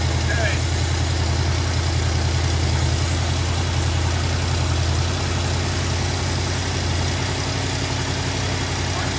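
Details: 1973 Mustang 302 V8, 2150 two-barrel carburetor with automatic choke, cold start at half throttle: steady, even running at raised speed with no misses, knocks or stumbles while choke slowly opens; normal cold fast idle.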